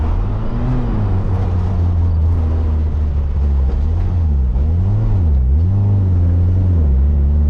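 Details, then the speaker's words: Abandoned carbureted Toyota AE86 Corolla that had not moved in years, revived on a trailer. It stalls when coasting to a stop, then runs terribly, with an uneven surging, sagging, misfiring note. Owner wonders if the carburetor is clogged. "No, do not die right there. Okay, all of a sudden, running really terribly."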